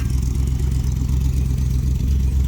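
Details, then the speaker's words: Vintage street machine "Jezebel" V8 just started, with an oil leak found from a suspected broken oil pressure sender, before warm-up: a deep, even idle with no stumbles or misses, running as it's supposed to. "Oh, yeah. No pump, no nothing. That's how it's supposed to run."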